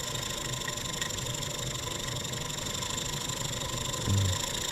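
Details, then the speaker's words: German showman's steam engine warming up on gas burner, nearly two bar steam, fire pinched down, no generator belt load yet: quiet even hum, running smooth with no ticking, knocks or rattles; normal running. "you can see it's running nice and smooth it's not ticking we've got no knocks no rattles"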